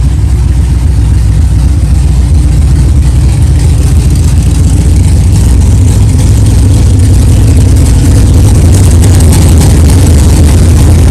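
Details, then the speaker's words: Freshly built 383 stroker V8 in a 1964 Chevelle at first fire-up, with new ignition switch and replaced power steering box; deep, steady rumble with no clatter or knocking and good oil pressure. "wow thank God it runs it runs good sounds good no problems no clanging and banging no rods fell out of the oil pan that's good good oil pressure"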